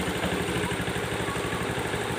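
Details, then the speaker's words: Honda Beat Street ESP scooter that clicked at the starter button, after cleaning the rusty, loose starter relay and checking sockets: starts on first press, even steady low putter with regular firing pulses; healthy idle. Ignition key switch noted as somewhat faulty. "oke ya motornya langsung sudah hidup"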